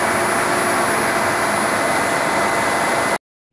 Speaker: these are the two funds working which they're not terribly noisy but a little bit you can hear them from inside the car so it's it's good